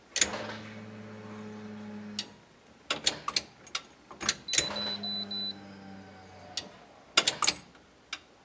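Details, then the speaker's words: 1973 Chevrolet C10 with LS swap, ECU temporarily wired, key turned on before first start: each key click brings a steady low buzz about two seconds then stops; normal fuel pump priming. "So let's just see what happens if we turn the key on. The fuel pump should prime."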